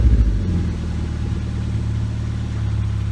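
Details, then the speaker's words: Mazda NC MX-5 Miata with aftermarket muffler, after installing new exhaust hanger bushings: brief rev settling into steady idle, deep clean exhaust, rattle gone. "no rattles there we go problem solved"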